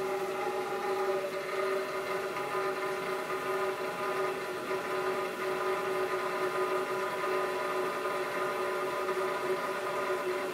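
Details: Navien CH-210-NG condensing boiler, about 4 months old with its pump already replaced under warranty. The heat exchanger gives a steady, loud, multi-tone howling while the burner fires.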